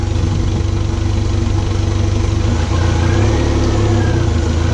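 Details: 2014 Mercury 115 hp four-stroke outboard after low-pressure lift pump repair for a fuel delivery no-start, idling in gear on all four cylinders: low steady idle with a soft, slightly lumpy thump and no knocks or rattles; normal idle.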